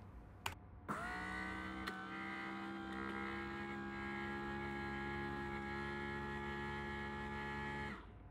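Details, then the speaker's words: 1981 Mercedes W123 front window motor, replaced with a W116 motor fitted with the 123 cog, bench-tested: clean steady hum at even pitch about seven seconds, no grinding; runs smoothly, far better than old underperforming motor. "good interesting to see the cogs spinning through the uh securing screw holes so it just sounds infinitely better"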